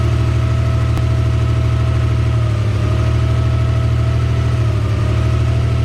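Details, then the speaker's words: Mazda MX-3 after swap to a JDM KLZE 2.5L V6 with larger 65 mm throttle body, first start: deep even idle with steady low pulse, no knock, tick or miss; early slight miss was an unplugged wire, fixed. "yeah the kale is that he runs and it runs mint first try first try pur's like a kitty"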